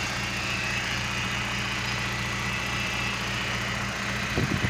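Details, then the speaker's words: BMW E46 N42 before repair, vibrating badly: uneven, lumpy shaky idle that never smooths, coughing at the exhaust; faulty crankcase oil separator found as the cause; rough idle. "balik lagi di Otomotif Net kali ini BMW e46n42 getar parah nih kondisinya jadi kemarin sempat udah cek kira-kira kayak gini kondisi mobilnya nih"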